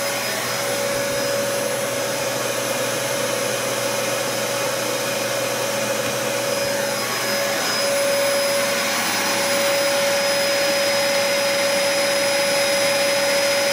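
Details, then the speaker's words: Cheapest Dyson upright vacuum running, measured at 70–90 dB depending on distance: steady loud motor whine with a clear high tone and even airflow rush throughout, motor sounds healthy. "The cheapest Dyson in the lineup, about 70 to 90 decibels no matter how you look at it."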